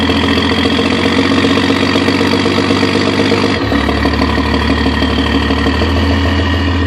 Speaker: It's got a funny jake brake sound when you put a load on the engine. Start it up and idle. You can hear it sounds kind of normal. Then I'll put a load on it.